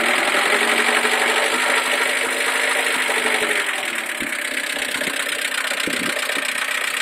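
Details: Mercedes A140 at idle: busy idle with quick tapping around four per second over the hum; ticking or knocking at idle with no clear cause.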